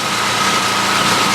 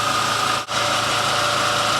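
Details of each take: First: Main house generator, switchable between propane and gas, that shut down and spewed oil the day before: restarted and idling unloaded with a steady high buzz but wavering, hunting beat, not smooth; runs smoother once the house load is switched on. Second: Main house generator that had shut down and spewed oil: now running under the house load with a steady, even drone and no surging or hunting, running really good.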